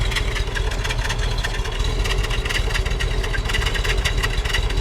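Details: Original 1966 Buick Wildcat, 10,000 miles, 425 cubic inch Nailhead V8, automatic, at the tailpipe with brakes applied: deep even idle burble with steady lope, no misses or ticks; smooth, healthy idle.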